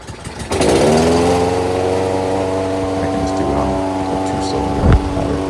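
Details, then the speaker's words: Toro 22-inch Recycler mower, Kohler 149cc engine, after tune-up, tachometer reading about 2,800–2,970 rpm: steady even run a touch slow; governed top speed set slightly low, being adjusted up. "So I'm gonna adjust this a little bit higher. You can hear the RPM go up a little bit."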